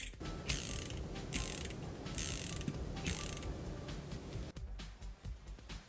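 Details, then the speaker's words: Mini 4WD brushed DC motor burnt out after being connected to a wall outlet: rough scratchy clicking and grinding when turned by hand; disassembly shows the brushes completely gone. "モーターは壊れてしまいました回すと変な音がします"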